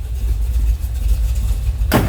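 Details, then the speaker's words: 1966 Chevrolet Chevelle, 454 big block, rebuilt Holley 750 carb, Turbo 350, at idle heard from rear: deep even V8 rumble with slight lumpy lope from a mild cam, clean and steady. "Nice little rumble out of it. Sounds like we have a slight cam."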